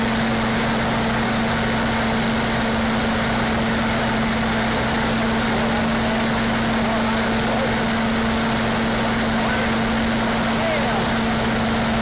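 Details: Standby generator fired up during a pre-storm test, no load and no amperage on it yet: smooth, even drone with steady low hum, no knocks or surging; normal unloaded running.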